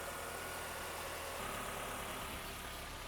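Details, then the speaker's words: Kia Optima after a rod bearing replacement for rod knock, running on thicker 10W-20 oil to break in the new bearing: quiet, steady idle with an even low hum and no knocking or tapping. The engine sounds healthy. "all right guys [Music] she sounds good oh she sounds real good sorry guys oh yeah"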